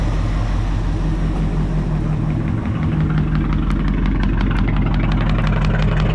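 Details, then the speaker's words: 1967 Ford Thunderbird 390 FE V8 after a tune-up: Marvel Mystery Oil added, fuel leak fixed with new hoses and clamps, new distributor, cap, rotor, plugs and wires. Deep, even idle rumble with no misses or knocks. Running healthy. "It's sounding really, really good now. Yeah. All right, y'all. It's sounding pretty good."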